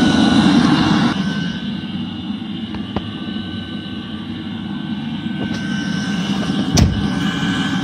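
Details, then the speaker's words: Eberspächer D5WZ diesel parking heater from a 1.9 TDI Ford Galaxy/VW Sharan/Seat Alhambra, after repairing at least three faults; steady burner roar, constant fan hum, fuel pump audible, no surging or popping; normal running. "D5WZ operation after repair :) there must be no visible smoke during operation"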